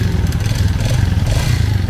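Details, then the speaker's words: Yamaha Jupiter Fi 2020 that ran out of oil and seized. Heavy, rapid clatter and knocking over a rough, low engine note from scored piston and cylinder, and the engine needs rebuilding. "con này thì hiện tại nó đang đang bị kêu máy cũng như là phải làm lại nhà các bạn xem cần làm lại những gì Các bạn nha"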